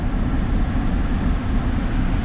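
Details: Duramax 4x4 diesel pickup, just started at auction yard: deep, steady rumble with even low clatter and no knocks or misses, good oil pressure; smooth normal diesel idle.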